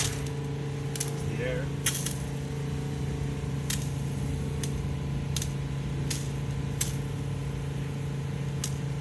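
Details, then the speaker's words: Southeast Softwash Alumimax Pro skid soft wash pump after repairing an air leak: steady, even motor hum with faint regular ticks, no sputtering or air gulping; holding prime, running normally. "all right so it seems like we fixed it"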